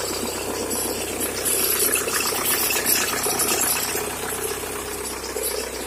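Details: 1997 VW Golf Mk3 TDI diesel at cold start: harsh clatter with a busy metallic rattle of about four knocks a second, louder in person than recorded; source undetermined; cold-start engine rattle.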